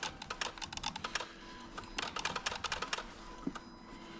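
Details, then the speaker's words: Dodge Ram with the engine running, its TIPM fuse box pulled out and wiggled. Rapid, irregular bursts of relay-like clicking are heard over a faint hum. Corrosion inside the TIPM is suspected, not confirmed; the dash then flashes security warnings. "you can hear stuff clicking when I'm wiggling this around listen to that what do you think guys is that our issue"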